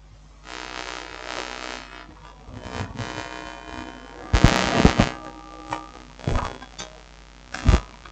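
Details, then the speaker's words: Solar inverter after repair, failed MOSFET replaced with one salvaged from another inverter board, powered up: steady low transformer AC hum with a few handling thumps, output reads 244 V AC and fan spins; normal transformer hum. "can hear the transformer AC. Let's see what we have. 244 volts. You see, it's working."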